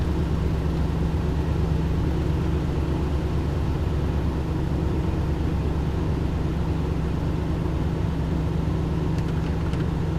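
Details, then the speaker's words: Ford 5.4 3-valve Triton after roller follower replacement, first start-up in hot weather with AC on full: smooth, even low idle rumble with no ticking; small exhaust leak noted; normal idle. "Alright, sounds good. Little exhaust leak. It'll clear up soon."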